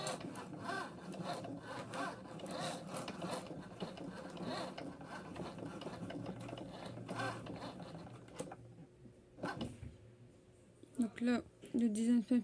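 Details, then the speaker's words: Cricut Joy cutter with tape added to the mat; fast light scratching and ticking about four a second as the head drags over the mat, noise from the tape, normal cutting noise. "et moi il fait du bruit parce que j'ai mis du scotch c'est"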